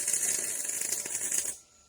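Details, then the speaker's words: MIG welding on a trailer main frame repair after wire feed was turned up to 54: nice, steady, even frying crackle for about a second and a half, then the arc stops; normal weld sizzle. "Oh, uh, aigh, this is on the weld *nice, steady, even frying sounds* I don't think that looks too bad"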